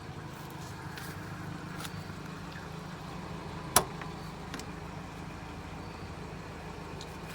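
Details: 1980 Toyota Pickup 20R started right after an oil change with about 4 quarts added: steady low rumble, even unhurried idle, no knocks or ticks; idling smoothly.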